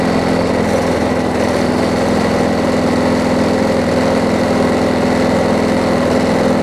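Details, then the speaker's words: Craftsman 22-inch push mower after bending the throttle linkage to fix overspeed, blade not yet replaced: steady, even single-cylinder drone at constant speed with no hunting; speed much better, perhaps slightly low. "it's much better it could go a little bit faster but i'm not going to change that"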